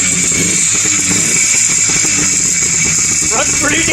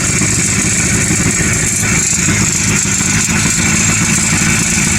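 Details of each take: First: 1957–58 Berkeley SE328 barn find with a serviced Excelsior two-stroke twin, first run after years parked: steady, lawnmower-like buzz with no knocks. It sounds good, though it needs a tune-up. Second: Circa 1957–58 Berkeley SE328 with a serviced Excelsior two-stroke engine, first start after years parked: loud, crackly idle with an uneven, stumbling beat; rough running after long storage, clearly needs a tune-up.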